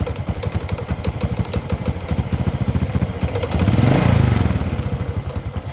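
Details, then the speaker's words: Honda Kharisma motorcycle, just started cold, weak and down on power: choppy single-cylinder putter about 214 beats a minute, won't stabilise when blipped, stumbles and dies if revved hard, must be throttled gently, needs warming up before riding. "Oke teman-teman ini baru kita hidupkan udah saya coba blayer motor tetap gak bisa stabil Jadi blebet-blebet blebet kalau di gas agak kenceng mati harus pelan baru bisa naik"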